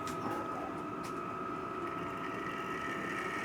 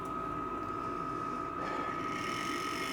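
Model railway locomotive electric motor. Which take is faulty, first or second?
second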